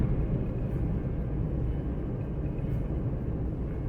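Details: 2011 Maruti Suzuki Eeco idling in neutral with AC off after throttle body cleaning: low, even rumble with no shake or missed beats; smoother than before, a normal idle.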